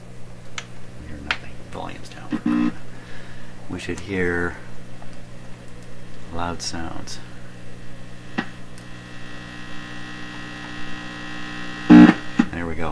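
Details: Canadian Marconi Model 93 tube radio, mains-plugged though labelled battery operated, probed around the antenna coil terminals during troubleshooting. A steady low hum with several even-pitched tones, broken by probe clicks, sits where program sound should be. Finding: mains hum in the audio path.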